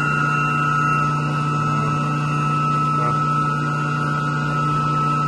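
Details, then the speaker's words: Single 60 hp chilled water pump serving two York YMC2 chillers, restarted after replacing its coupling with a new Duraflex 30: steady, even motor hum with constant pitch and no pulsing or knocking. The earlier vibration noise is gone. "we're going to fire this thing back up well definitely sounds good over here"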